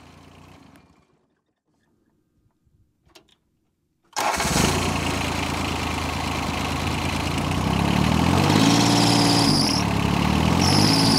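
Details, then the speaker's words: John Deere 755 compact tractor diesel with an electric fuel pump, after a fuel leak fix and bleeding the fuel lines. It starts and settles to a steady run with two high squealing bursts from the slipping alternator belt; belt replacement is on hold pending a larger alternator. "You can hear that alternator belt squealing a little bit. I have a new belt to put on there, but I'm holding off because I want to get, well, one, I need to get a new battery, and two, I want to get a little bit bigger alternator, maybe the one they have on the 855, to pu"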